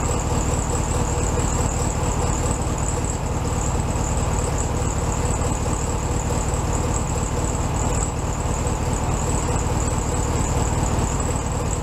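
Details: 1967 VW Beetle 1500cc air-cooled flat-four, warmed up after carb reinstalled on new base gasket: smooth, even idle with steady beat, slightly high, no stumbling or hunting; normal idle.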